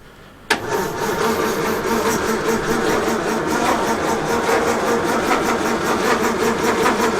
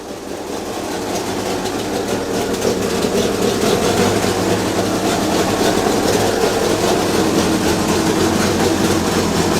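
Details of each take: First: 1932 Morris Minor four-cylinder sidevalve, unused for decades, 6V battery, choke and accelerator being tried: steady starter churn about 2.5 turns a second, no catch; it ran briefly before but now won't; points found giving a weak spark and were cleaned. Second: 1932 Morris Minor four-cylinder sidevalve, not run in years, no coolant so warming up and kept brief, little exhaust fitted: settles into a steady, even, fairly quick idle; running cleanly.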